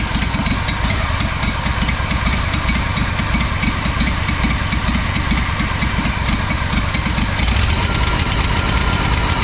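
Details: Honda 4118 riding mower, GXV 610 twin, new starter and two new coils after mice damage: uneven, lumpy idle with irregular pops and stumbles; running rough and sputtering, cause not found, muffler next suspect.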